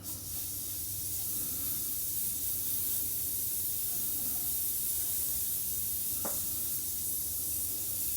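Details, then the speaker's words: 1969 VW Bug, new air shocks inflated to 90 PSI and sitting too high, being slowly bled down: steady airy hiss at constant level with a brief tick midway; normal air shock deflation. "That's a lot of air. So what I'm gonna go ahead and do is just slowly bleed it out to where I like it to be."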